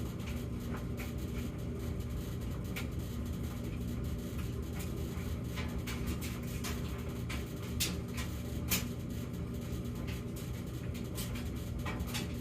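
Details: Samsung gas dryer between hum episodes (1:01–4:05): steady low drone with light irregular tumbling taps and no hum; normal running within a repeating pattern of 14 s high hum, 38 s low hum, then minutes without hum.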